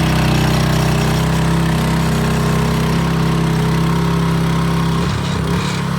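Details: Scotts tiller with the trashed original engine replaced by a DeWalt pressure washer engine, run after the swap: fast, steady single-cylinder beat around four per second, holding speed. Runs healthy; ready to go.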